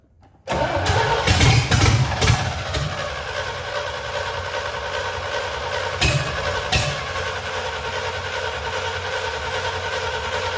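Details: C65 dump truck after 10 years' storage, replacement engine retimed, firing order checked and HEI module contacts polished, gas pedal pumped. Long uneven cranking with sputters before it catches into a rough idle, as if fuel-starved. Hard starting; the old carburetor was later found faulty.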